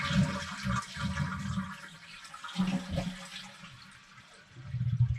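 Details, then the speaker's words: Seasonal cottage winterization, water supply shut off: toilet flush drains with a gurgle, then tank stays quiet with no inflow hiss; fill valve open but no water pressure, so no refill. "now that valve is open. It's trying to bring water in. It's not. You hear it's not coming in because it can't. There's no water pressure."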